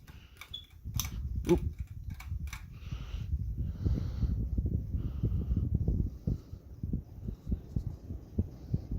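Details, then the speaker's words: SMC DC-42 (Global Winds) ceiling fan on high speed, slight wobble: a few clicks, then a low uneven rumble with fluttering thumps under the hum from inside the motor; owner suspects bearings, unconfirmed. "And you can hear the noise again. Probably the bearings. That's just my opinion."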